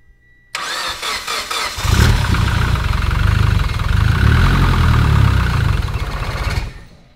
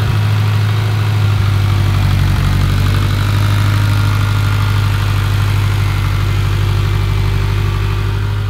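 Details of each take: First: Mitsubishi Evo X with freshly built engine, first start on the new motor: starter cranks, then catches into an uneven lumpy idle that stumbles; owner says it didn't sound healthy, check engine light on, cause unconfirmed. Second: Mitsubishi Evo X with a freshly rebuilt engine, first started after about five tries by holding the gas pedal to the floor. A deep, steady idle with an even low rumble and no knocks or ticks; healthy during break-in.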